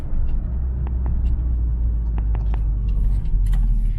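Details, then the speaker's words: 2011 Scion tC after shock replacement, driven over railroad tracks with A/C and fans off: only steady low road rumble and faint ticks, no clunks or rattles; quiet normal ride, previous rattle issue fixed. "Let's see how these railroad tracks sound. No rattles. That's awesome."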